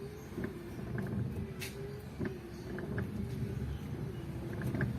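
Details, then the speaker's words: 10-year-old Mitsubishi Adventure with new universal wiper blades replacing noisy 5–10-year-old Boschs, sweeping a sprayed wet windshield at idle: only faint soft swishes, minimal acceptable noise. Normal quiet wiper operation. "oh i can still hear some noise but it's minimal or it is quite acceptable right"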